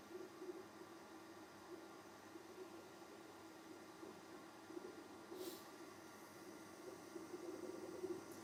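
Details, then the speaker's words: Sovol SV07 Klipper 3D printer on its first print, bed at 50°C, flowing about 4.5–5 mm³/s: part cooling fan gives a loud but healthy steady airy whoosh with low hum as it pulls a lot of air. "oh my goodness this fan I don't know if you can hear me this fan is going and it is loud but it has to be because it's just pulling a bunch of air"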